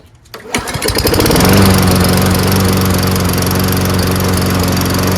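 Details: Toro Recycler 22-inch front self-propelled mower with Tecumseh engine and primer-bulb carburetor, after carburetor clean and front drive fix: pull-start, quick catch, then an even steady drone holding speed without surging or stumbling; runs healthy.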